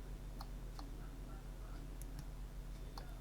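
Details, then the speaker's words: Eufy Robovac 11 roller-brush motor, believed 12 V, bench-powered at 6 V: faint uneven clicks about twice a second over a low hum, motor stalled, not turning, jammed drive. "Now I can hear the motor clicking, but it's not actually turning."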